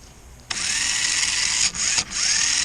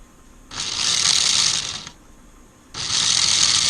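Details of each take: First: 1994 Lionel RS3 Happy Holidays (6-18837) motor after cleaning and reassembly, no extra lubrication, run upside down on an old 9-volt battery, reverse direction: bright steady whine with two brief dips, no scraping or stutter; pretty good power, running well. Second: 1994 Lionel RS3 Happy Holidays (6-18837) motor on test: high-pitched whir in two sudden one-second bursts, racing then dropping away; kicked into high gear with no speed regulation, motor needs cleaning, dirty commutator suspected.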